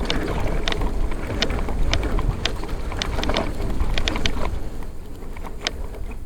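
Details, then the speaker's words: Cube Stereo e-bike on a 36-mile hilly ride: uneven, sharp knocks a few times per second cut through wind and tyre rumble while riding. The source is not pinned down; the rider believes it's not dangerous. "That knocking's annoying, but at least we know it's not dangerous."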